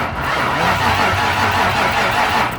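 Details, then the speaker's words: 1995 Ford Mustang 5.0L cranks but won't start; fuel pressure good, battery and power present, but no spark from a damaged ignition coil. Steady starter crank for a few seconds with no catch or firing. "a pulso que estamos bien con todos la batería conclusión tenemos luego tenemos corriente tenemos gasolina no hay chispa"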